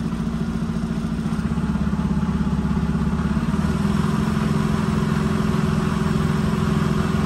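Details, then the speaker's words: 2019 Freightliner Cascadia DD15 with 785,000 mi, after a valve adjustment fixed zero compression on cylinders 4 and 6: steady, even diesel clatter at raised idle, no misses or knocks. Normal, though a cylinder head problem is possible if compression drops again. "sounds really good to me I do like the way this thing sounds so far"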